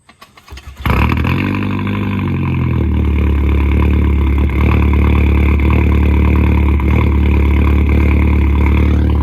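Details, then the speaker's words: 2005 VW MK4 GTI just after replacing upstream and downstream O2 sensors: engine catches and settles into a low idle with an uneven rhythmic lope about four pulses a second; suspected misfire, cause undetermined. "She's loping a little bit. You hear that lope? You hear that lope? Is that a misfire?"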